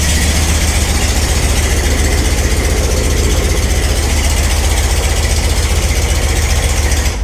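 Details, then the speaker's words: Ford Ranchero with a Mustang 5.0 302 V8 swap, rebuilt (pistons, rings, bearings), first start with no fluids and run for under 30 seconds: deep, steady burble at idle with an even, loping beat and no knocks or misses; normal idle. "I cannot stand how freaking cool it is to just fire that thing up and let it idle on its own with a 302 that I completely rebuilt from the ground up"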